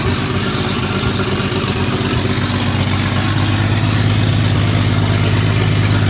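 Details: Toyota 2F engine after year-long full rebuild, first firing after flooding subsided, new carb, lifters not yet broken in: steady, even low idle with smooth regular beat, no knocks or ticks; normal idle.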